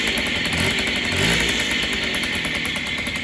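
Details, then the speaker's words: Yamaha Chappy two-stroke after a bottom-end rebuild, blipped in neutral with the rear wheel still, showing the right amount of smoke (owner suspects a stuck carb float causing overflow): a crisp buzz climbing and settling, clean and even; normal two-stroke revving. "that's the right amount of smoke that you should be seeing coming out of a two-stroke and that's what it should sound like"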